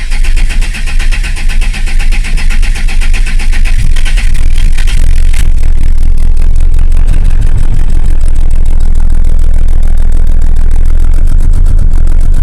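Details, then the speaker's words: Volvo 480 that dies almost immediately after starting: starts, then lumpy, uneven throbbing run for about 40 seconds on only two cylinders; heavy misfire, cause not yet found, car sent to a mechanic. "So, I noticed yesterday that the car was running on two cylinders. It was running for a little while, like 40 seconds, but only on two cylinders."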